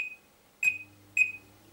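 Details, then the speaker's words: Oven after a power cut, timer reset to factory default: three short high electronic beeps as timer is reset to manual mode, then faint low hum; red light now comes on. "you can now see that the little red light comes on now this is not a problem this just means that you need to reset the timer to the manual setting"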